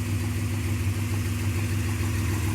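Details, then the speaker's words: 1995 Suzuki Escudo, H20A engine, hot idle: steady rapid knocking that gets faster and louder with throttle; knocks only when warm, not cold; new part already fitted, owner suspects bearing shells, cause unconfirmed. "достаешь он еще сильнее у еще сильнее на и начинает стучать почему я не знаю разобраться мы не можем поменяли cg стоит новая может загремит может прощаю вкладыши"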